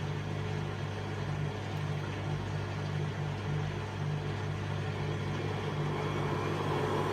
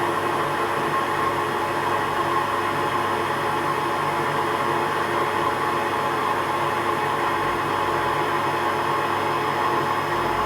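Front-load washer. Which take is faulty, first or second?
first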